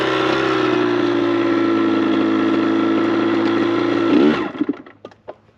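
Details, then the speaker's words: Kawasaki KX100 two-stroke on a paddle tire in sand at full throttle: a flat drone whose pitch sags then cuts off; bogging. Owner suspects too much tire pressure or a poorly running carburetor. "This is horrendous. Maybe there's too much pressure in the tire. Man. I should have just bought a paddle tire for that big bike. Or got this carb running better."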